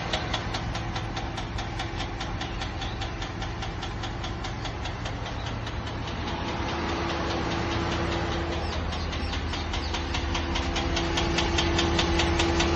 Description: Just had this weird ticking sound in my engine bay. It just started. Does anyone have a clue?